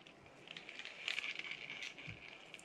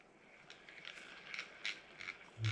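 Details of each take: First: New Penn Spinfisher 440SSG spinning reel, after shimming to stop the main gear flexing in the housing, which caused a grind: light, even whirr when cranked, with a few soft clicks and no grinding. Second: Brand-new Penn Spinfisher 440SSG reel cranked out of the box: quiet rasping bursts about twice a second, from the main gear flexing and wobbling in the housing, not bad bearings; the fix is shimming.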